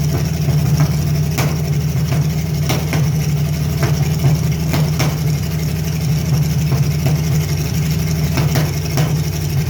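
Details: Carbureted Chevy Lumina 3100 prepared for derby, with a small vacuum leak: rough, uneven idle broken by irregular sharp pops and stumbles. Engine misfire caused by a failing ignition coil pack.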